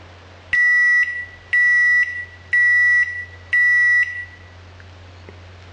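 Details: Salvaged microwave oven controller tested with its touchpad removed and reassembled, set to 10 seconds: four clean steady high-pitched beeps about once a second, so it still works normally.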